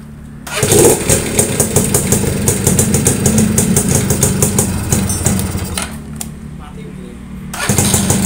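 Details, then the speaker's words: Yamaha V80 two-stroke after repairing a dead electric starter (loose magnet, worn armature brushes, leaking seal): starter spins the engine briskly, it catches into a busy two-stroke burble, then pauses and starts cleanly again; starter working normally. "Jos, mantap teman-teman. Udah berhasil dari starternya yang remuk ya."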